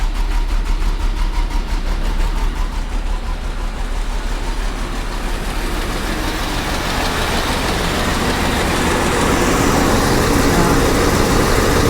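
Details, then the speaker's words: 1985 GMC C1500 Sierra, Copart truck, after new fuel tank, sending unit and fresh gas: low heavy lumpy idle about three pulses a second that never settles, rough idle; owner suspects spark plugs, possibly one or two cylinders out. "I mean it's running but I was really hoping that it would clear up with some fresh gas and a fresh tank and a fresh sending unit it's just not running bright at all you can hear it"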